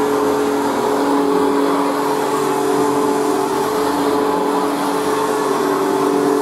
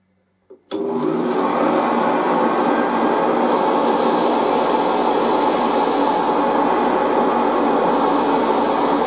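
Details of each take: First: Machine boxed for about 40 years and not run in years, on its third position: a steady high motor whine with a faint scratchy hiss, heard on rundown, from brand-new carbon brushes still bedding in; otherwise runs very well. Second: Machine, first run after all this time on its highest position off the carpet, spins up in under a second to a steady even roar with a faint whine, no rattles; running healthy, and the headlight still works.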